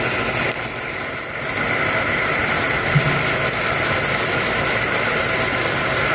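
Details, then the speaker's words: Air conditioning unit with a bad condenser fan motor: compressor restarts after overheating, steady hum with hiss and light rattle but no fan rush as the fan motor stops again. "the compressor kicked back on because it was overheated and watch that fan motor stopped again"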